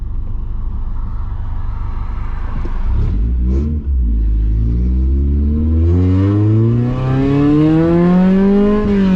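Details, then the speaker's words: Honda Accord CD7 H22 swap, exhaust not yet fitted: four-cylinder idles smooth and very quiet, then revs cleanly and evenly with no misfire; running right. "Oh, she sounds so much better, dude. I'm surprised it even held an idle like that before, dude. Honestly. All right. Oh yeah, she sounds good. Keep thinking she's turning it off. She's so fucking quiet."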